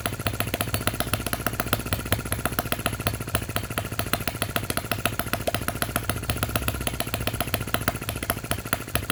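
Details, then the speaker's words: Miniature Lister D working petrol engine (OKMO/Retrol), first run after first-pull start, with fresh sump oil, petrol and hopper cooling water: fast, even popping exhaust beat with light mechanical clatter, steady speed throughout. Running cleanly, normal. "This sounds so fantastic running."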